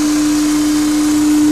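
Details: Honda S2000 with a K&N intake: a steady mid-pitched drone over the engine with no rhythm or change. It is an intake hum, and the owner is unsure whether it is normal.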